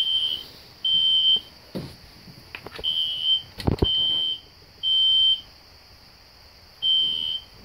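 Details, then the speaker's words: System Sensor SpectrAlert Classic horn strobe set on low volume, heard in the background with no control panel: repeating high-pitched half-second horn bursts roughly every two seconds; alarm horn sounding normally. "Right now they're going off. I have the classic spectr alert horn strobe set on low volume so it's not too loud. You can hear it in the background."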